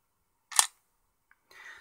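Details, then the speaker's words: Garden hose water timer valve switching, held near the camera: one sharp light click then a soft brief rattle, something very lightweight moving a long distance, not heavy-duty; normal valve actuator. "it sounds to me like something very lightweight is being moved quite a long distance you can hear something traveling but it's not something heavyduty"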